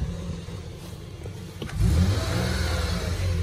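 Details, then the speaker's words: 2005 Nissan Frontier Crew Cab, 4.0 L V6, 205,000 miles, vacuum leak and taped airbox boot: faint whine rising with revs from a failing automatic transmission front pump; drive slipping, reverse strong. "know if you can hear that whining noise but the front pump in the transmission it's on its way out which is the same because it only has two hundred and five thousand miles"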